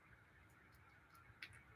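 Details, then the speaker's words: Mechanical watch being hand-wound: faint light ticks, a few per second, from the one-way clutch on the mainspring gear; normal mainspring ratchet click while winding. "So you wind the spring in this little one-way little clutch here. Allows it to click. So whenever you wind it, you hear that little clicking."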